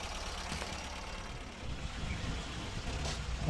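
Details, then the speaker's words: Tata Nano with coolant leak and overheating, sat about 10 days before repair: quiet, even idle putter with a low steady rumble, no knocks or misses, under background noise; no leaks seen, idling normally. "Everything seems normal hair, and कोई issue नहीं है कहीं पर भी। Idol की आवाज़ भी आप सुन सकते"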